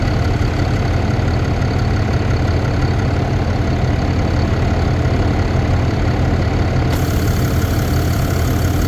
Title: 2022 ram cummins 2500 ticking noise? is i